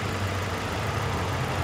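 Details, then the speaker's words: 2002 Nissan Sentra 1.8L, rough idle with code P0300; low, uneven lope with dropped beats; secondary ignition probe showed a suspect coil with spark duration under one millisecond versus about 1.5 average. "happy found a suspect coil pack or cylinder that's misfiring causing this p0 300"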